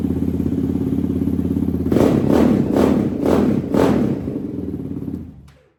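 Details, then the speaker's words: Yamaha Raptor 734cc big-bore build, first start with exhaust near the plastics: loud, crisp single-cylinder idle with four clean throttle blips rising and falling evenly before shutdown; healthy engine, loud exhaust. "there she is loud"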